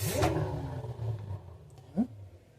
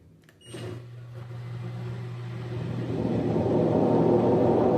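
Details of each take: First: LG washer-dryer with good bearings spinning at 600 RPM, camera inside machine: soft, even low motor hum, very quiet with no grinding or rumble; normal drum spin with good bearings. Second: LG washer-dryer spinning at 600 RPM: low motor hum gives way to a loud, rough roar building as drum spins up; drum bearings blown, worn drum bearing roar.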